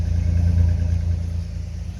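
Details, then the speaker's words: Old 1988 Chevy S-10 work pickup starts right on the key and runs smooth with an even low rumble and gentle rev rises and falls, no knocks or ticks; normal running with light revving. "It's fired up. Runs smooth as silk. You can set your wine glass right there."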